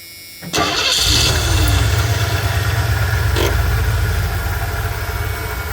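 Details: 1984 Ford E150 Econoline camper van running off a boat fuel tank, needs a couple pedal pumps: brief crank, catches within a second and settles into a steady, even idle with no stumbling.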